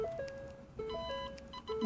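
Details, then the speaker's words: Ford Focus rear parking sensors newly fitted in the lower bumper section, car in reverse: clear, polite short repeated beeps from the rear in a steady warning pattern; parking sensor working normally. "bup bup bup bup arkadan gayet kibar bir ses geliyor."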